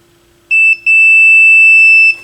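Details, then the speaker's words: AR XA turntable, multimeter continuity check of the RCA cables and tone arm wires: a short high beep then a long steady tone, showing continuity; left and right signal and ground wires read okay. "so again with this if there's continuity it'll beep so okay so that so right looks okay left looks okay"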